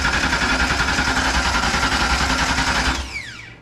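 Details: A steady starter churn, about three and a half turns a second, that never catches and winds down on a Fox body Mustang. It cranks but won't start. The fuel pump is not powering even after swapping the ignition switch, PCM and PCM relay.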